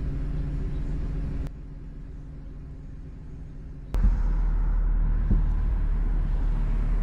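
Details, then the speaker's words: BMW E46 M3 with SMG transmission, driving: road rumble drops, then a sharp clunk as the automated clutch slams back in, especially when coming up to a light; harsh clutch engagement. "hopefully you can hear those clunks that's definitely the downside to the SMG is the clutch engaging and dis engaging has zero chill it will just slam the clutch on and off especially coming up to a light"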